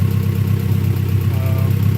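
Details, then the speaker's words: Honda Prelude, harness thrown on as-is, open exhaust: deep, loud exhaust rumble with even, regular pulses and steady idle speed; sounds pretty healthy, normal idle. "But yeah, guys, she's running. Sounds pretty healthy."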